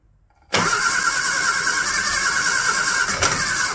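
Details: Barn-find classic Mini pickup ice cream van after oil filter change and fresh oil, choke applied, ignition on: steady high whirring crank for several seconds with a hint of catching; engine nearly starts but doesn't run.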